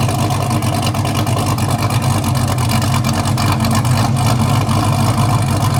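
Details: Newly installed engine in a wrecked 2023 Corvette C8 being rebuilt, started untuned; deep V8 idle with an uneven choppy lope a few beats per second, no knocks; healthy big-cam idle.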